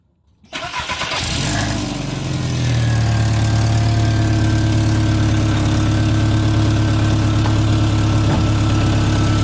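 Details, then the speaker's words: Volkswagen Jetta, warm, after a rusted-out resonator was replaced with a used one using clamps and muffler tape: starts and settles to a steady idle with a faint low rasp; small remaining exhaust leak at the rear, much better than before. "got a small leak back here at least from where it was it's much better"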